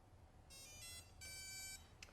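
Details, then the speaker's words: FPV-360 quadcopter ESC throttle range setup: on plugging in the battery with throttle at max, clear high beeps in short groups, then more beeps at throttle down; the speed controller powers up and arms normally. "Once you plug it in we'll hear these beeps then throttle all the way down few more beeps and we're done"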